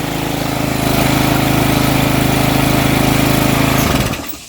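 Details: Troy-Bilt edger model 25B-554M711 with a Briggs & Stratton 500e engine (09P602-0076-F1), after carburetor cleaning and priming: the small single-cylinder engine catches and runs at a steady, even fast chug for about four seconds before shutting off; healthy running.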